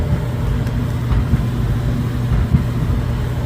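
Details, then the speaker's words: Dryer just reassembled after a loud-noise repair: low even rumble with faint panel buzz and light knocks as new felts and the bearing felt wear in, which takes about three loads; normal. "usually when you put these back together it takes about three loads for it to reconfigure or rewar into the groove of the felt and the front panels and the bearing felt and in the rear bulkhead"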